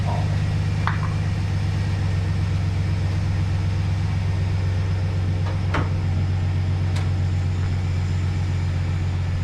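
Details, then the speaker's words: 2011 GMC Sierra 1500, engine just reconnected to its battery and started: steady, even low V8 rumble at idle with no knocks or ticks, only a slightly squeaky belt noted; normal idle. "looks nice sounds all right huh nice and quiet let this thing run for a minute"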